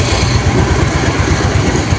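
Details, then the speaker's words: Yamaha Mio carburetor scooter after service for failing to idle, cold engine: starts on one press without choke and holds a steady, even low putter with no dips or hunting; clean idle. "Nah, nyalanya sekali pencet juga sekarang sudah nyala. Mesin dingin pun sekarang sudah tidak pakai tarik-tarik cuk. langsam juga."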